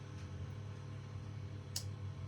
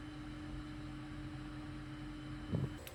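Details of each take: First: Climma AC plant during testing after repairs (burst glycol pipe, flow meter fault): low steady electrical hum, then a sharp click as the unit switches off, likely a relay; fault later traced to the Semikron bridge rectifier. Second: Climma AC plant after repairs (inverter board swapped, burst glycol pipe and flow meter circuit fixed): low steady hum with constant mid tone, no knocks, rattles or surging; running smoothly.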